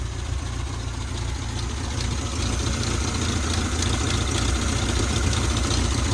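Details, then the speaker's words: Volvo 122 petrol engine idling on its first start after a 2-inch sport exhaust was fitted. Deep rumble, much quieter than before, with a light ticking puff from a remaining small exhaust leak; it smells a little lean. "A little bit of an exhaust leak. It smells a little lean. It sounds pretty good. Much quieter than before. Still have an exhaust leak."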